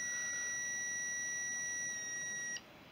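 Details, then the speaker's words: Honda CB350 points ignition timing checked with a DIY points buzzer at the F mark; steady high-pitched buzz about 2.5 seconds then cuts off, points opening early: timing a few degrees advanced. "Yeah, so that's a few degrees out."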